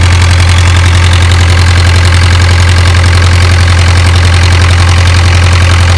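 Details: Isuzu 4BA1 85 hp four-cylinder diesel coupled directly to a 5-inch single-impeller irrigation pump for a 20-rai durian orchard: deep even thrum, steady beat, no knocks or misses, healthy smooth idle.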